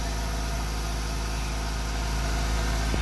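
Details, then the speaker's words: Honda Integra classic car idling after replacing the blown ignition coil: smooth, even low purr at a steady idle with no misses or stumbles; ignition firing cleanly, purring like a kitten again. "purring like a kitten again. I'm gonna go for a ride."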